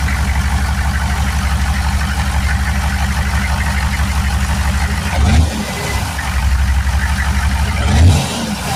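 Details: Turbo 6.2 diesel truck after adjusting inlet housing pressure, turned-up pump, 195° thermostat: even idle clatter with two clean throttle blips rising and settling smoothly, less poppy as timing more correct; healthy.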